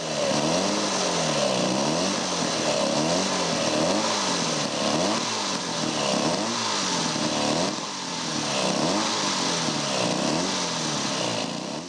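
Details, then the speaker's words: 1937 Scott two-stroke motorcycle with sidecar, recommissioned after over 20 years in a barn: uneven running with revs surging and sagging. The crankcase oil wells were overfull and oil was mixing with the fuel; only one of the two plugs was firing. "Vấn đề lớn nhất là dầu. Chúng tôi phải mở các cửa sổ ra, và những giếng dầu này, chúng được gọi là các ống dẫn, chứa đầy dầu."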